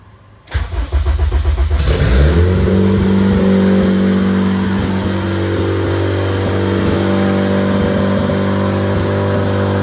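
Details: Project RED engine build, first start on standalone ECU: cranks briefly, catches, then settles into a loud steady drone well above normal idle; high idle, owner suspects a leak, and rpm dropped when something was cut.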